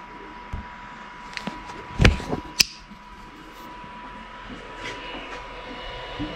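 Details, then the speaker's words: Ender 5 3D printer, switched on beside an Ender 3 Pro fitted with a silent 4.2.7 board: a constant airy whir with a thin steady whine and a few knocks. This is the ordinary noise of its stock fans running. "you can hear all the fan noise now we'll show you what this one sounds like when you home it"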